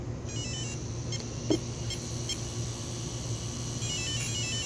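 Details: Castle XL2 ESC after replacing blown external capacitors with identical ones: short stepped sequence of high electronic chirps over a faint hum, then a repeat; controller arms normally.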